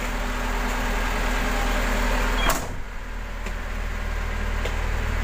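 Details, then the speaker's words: Medium bus AC after replacing a badly growling compressor with an original unit, plus condenser, both dryers and fan belt, vacuumed and recharged: engine hum, a sharp click likely the clutch engaging, then quiet compressor running; cold output, low pressure 40 settling to 30/200. "untuk hasilnya sudah dingin Alhamdulillah jadi tekanan locksnya sudah 30 tadi"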